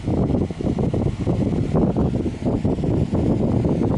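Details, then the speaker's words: 2003 Honeywell RE-300E all-metal chrome 12-inch desk fan on medium: even, airy whoosh with no rattle or ticking, running smooth with only slight imbalance. Normal running. "thing doesn't even rattle it shakes but it's a bit off balanced but it is so smooth that's pretty powerful as well"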